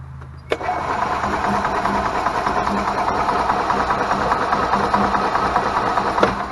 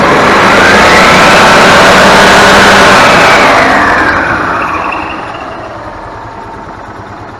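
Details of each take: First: Club Car gas golf cart cranking on pedal press: steady rhythmic cranking, two to three turns a second, never catching; no spark, traced to a failed RPM limiter box rather than the ignition coil. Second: Club Car golf cart engine after ignition repair (replaced RPM limiter box restored spark): catches, revs hard a few seconds, then settles into a quiet, even idle with no misses; starts and runs normally.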